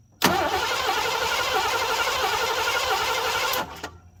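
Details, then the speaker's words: 1987 Mercury Grand Marquis LS, sitting since at least 2017: the starter turns the engine over steadily for about three seconds but it never fires, and no fuel pump is heard. Crank, no start; bad fuel pump relay suspected. "Alright, so pretty sure we have a bad fuel pump relay. I'm not hearing the fuel pump."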